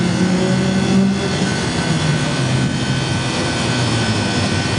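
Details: Walk-in freezer condensing unit with new fan cycling control: steady low compressor drone with condenser fan off as pressure climbs to 250, cutting out below 200; setting needs adjusting, some liquid returning to compressor.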